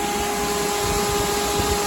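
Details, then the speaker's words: SPAL pusher electric radiator fan bench-tested off a weak battery at about 11.6 volts, held by hand: loud, steady rush of air with a constant mid-pitched hum and no wobble or rattle, much louder than the cheap fan; normal, healthy fan run. "You see the whole fan move? It's like torque, torque, torque. Anyways, on shitty voltage, this is how it's supposed to sound."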